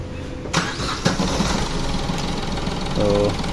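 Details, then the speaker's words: Chevrolet Beat diesel just after a full engine overhaul: it catches within half a second and settles into a steady, even idle with no knocks or misses, sounding like the original. Normal start. "यह हमारा start हो गया"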